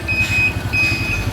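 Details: 1981 Honda Super Cub 700, three-speed single-cylinder, hand-started, air filter blocked off: small engine putters at an even idle while the high-pitched turn-signal buzzer chirps on and off over it; engine healthy, signals working.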